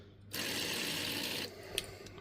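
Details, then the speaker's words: Old inline electric fuel pump from a Suzuki Samurai, retested: short even high buzz with fluid hiss; pump still works and moves fuel, real problem a plugged fuel filter. "Oh shit, yeah, that one still worked. So I don't know if we had a bad connection or what happened with this one, but as you can see, it was still kicking out fluid."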